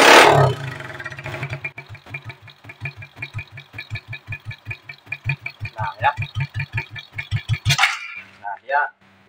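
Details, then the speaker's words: Smash 110 carbureted motorcycle before carburetor adjustment: the engine catches and thuds at a slow, uneven idle of about four beats a second, then dies and will not hold idle; stalling from a misadjusted carburetor. "Nah ya dia mati ya tidak mau nahan untuk langsamnya"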